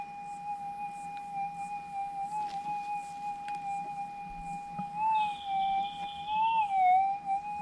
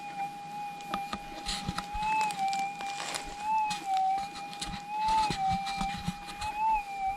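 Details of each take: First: GPX6000 metal detector in noisy ground, difficult ground type, sensitivity nine; smooth steady threshold tone, then a clean wavering rise as the coil crosses a small gold nugget: normal target signal, stable setup. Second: GPX6000 metal detector in noisy ground at sensitivity 1: quiet, smooth threshold hum with a soft, dull target response, audible but not bright; target needs burying deeper.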